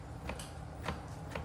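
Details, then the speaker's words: Ausom F1 Max electric scooter, 190 miles, under two weeks old: light knocks about every half second over a low hum from the left rear suspension spring; bolt head rounded so it can't be tightened, clunk persists. "There's a clunking noise coming from the left spring."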